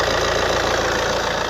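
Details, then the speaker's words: Accident-damaged Alfa Romeo GT Cloverleaf bought blind from Copart, no MOT, coolant and oil good: steady, even idle hum with no misses, rattles or excessive smoke; engine sounds healthy. "So early indicators are, like I say, that this has been a well looked after car. She's running and sounding sweet, as you can"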